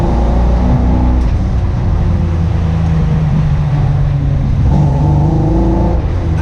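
Engine revs up and settles with a rough, uneven low beat instead of a clean, smooth pull, pointing to a misfire.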